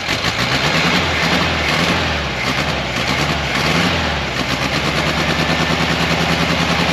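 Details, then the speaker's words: 1968 camper bus engine after stuck valve freed, new pushrod and pushrod tube fix, started on charger boost: choppy uneven idle with irregular pops and wavering speed; rough running, owner suspects old points or too much fuel at the carburetor. "i mean i adjusted them they seemed to fire okay smells a little gassy we've got too much fuel maybe we need to adjust on the carburetor"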